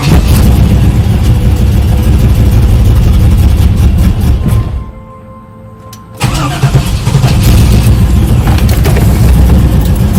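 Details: 1995 Chevrolet Camaro Z28 with LT1 V8; revs in uneven stumbling bursts, dropping off and bogging before picking up; owner asks about misfire and bogging, cause unknown.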